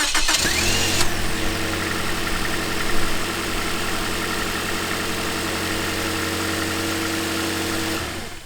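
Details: 2010 Toyota Corolla, cold start: harsh metallic rattle for about one second, then a smooth steady idle, meaning the VVT-i sprocket needs replacing; it stops once oil circulates and doesn't recur on a second start.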